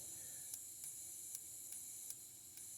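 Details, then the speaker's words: Fuel injector bench-tested with fuel pump on and power applied: faint sharp ticks about twice a second over a steady high hiss, confirming it sprays fuel. "i can definitely tell this one's spraying fuel so i'm gonna do number one and then put everything together and fire the car up"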